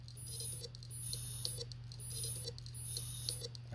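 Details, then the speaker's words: New Seagate IronWolf Pro 16TB (ST16000NT001) hard drive in a Sabrent DS-UTC1 dock, powered on, not detected by Windows: low hum with clusters of clicks, speeding up near end then repeating each power-up. Drive clicking, dead on arrival. "hopefully the sound is Audible with the clicking it clicks for a while and near the end of the clicking phase it clicks real fast and then stops and repeats every time I power it on again"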